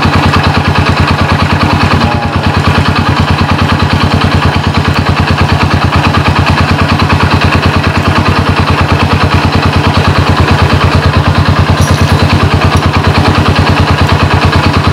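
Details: Honda Supra motorcycle converted to LPG with a GX160/200 LPG carburetor and low-pressure regulator, idle circuit set, started in two kicks: even, quick idle about three pulses a second with no misses, knocks or hunting. Normal idle.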